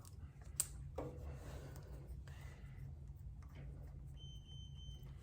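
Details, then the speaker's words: SYKIK SRTP300 TPMS on a Harley Road Glide, sensor cap removed while setting pressure around 35 psi: after handling clicks, a single high one-second beep warning of lost pressure. "oh as soon as we take it off you can hear it up there beeping so it's saying it just lost pressure"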